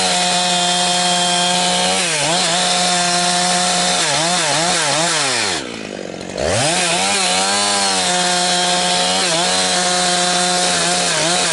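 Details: Husqvarna 362XP Special chainsaw with Walbro carb, cutting firewood. High revs repeatedly sag and gargle as it climbs toward top speed, four-stroking at the limit. The wrong rev-limiting ignition coil is fitted; the problem shows mostly when limbing and is okay near 9,000 rpm in big wood.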